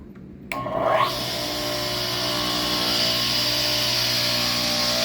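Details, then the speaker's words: Tile saw repurposed as a surface grinder: motor kicks on and spools up within a second to a steady high whine, holding an even pitch; healthy motor at full speed, maybe too fast for the task. "wasn't a pretty good speed [Applause] maybe even too fast for what i'm doing"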